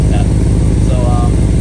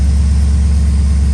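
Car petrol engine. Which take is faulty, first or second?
first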